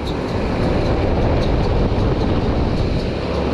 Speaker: fan motors going out you can hear the bearings in that fan motor they do not sound good